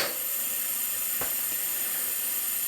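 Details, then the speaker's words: Nissan SR20DET leak-down test, cylinder two: steady airy hiss with a brief rush when the valve cover is blocked, air passing into the crankcase; suspected rings or ring lands, unconfirmed before teardown. "The air pressure is going into the base. So if I block off the valve cover, you hear it starting to build pressure because I'm blocking it."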